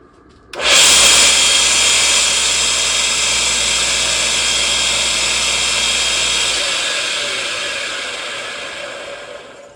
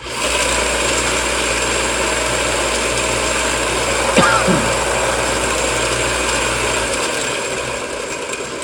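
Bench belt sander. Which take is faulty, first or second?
first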